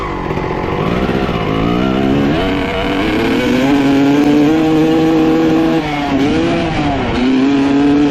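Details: 1995 Honda CR250 two-stroke dirt bike revving after swapping to a different carb (same jets, 55 pilot, 175 main): revs climb then sag and stumble on each throttle opening; horrible bog unchanged, carburetor ruled out.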